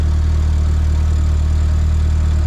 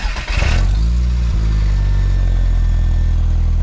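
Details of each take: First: MK4 VW GTI 1.8T after welding a repaired big muffler exhaust with V-bands: deep, even idle hum with no puffing, ticking or rattle; exhaust sealed and quiet, though a small leak near the turbo is possible. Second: VW Golf MK4 GTI 1.8T with a Mega Racing exhaust kit at cold idle: deep, droning rumble with a loose, blatty edge from the high-mileage exhaust's resonator, cracked in half again after a failed patch.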